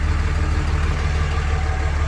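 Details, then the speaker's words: Older Dodge diesel truck at idle: even, low clatter with steady rapid pulse, no knocks or misses; sounds good underneath, no blow-by, engine in tip-top shape. "It sounds really good. Sounds good up underneath here too. There's no blow by on it."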